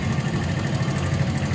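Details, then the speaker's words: Viar VSR 200 motorcycle after work at two previous shops, oil not circulating because the lubrication/oil cooler passage is blocked: lumpy, uneven idle with coarse knocking pulses; very rough running. "suara kasar soalnya gak Syahrini kaya nggak naik call Iya soalnya Kasar banget"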